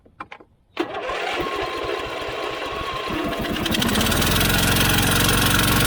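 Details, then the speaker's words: Husqvarna YTH24V48 twin-cylinder riding mower with a no-start, choked: it catches and runs rough with a lumpy beat about four per second. One spark plug is missing from its hole, and a cracked vacuum hose to the fuel pump is suspected. Running on one cylinder. "It's a twin cylinder, and one of the spark plugs is not in the hole. So that is a problem."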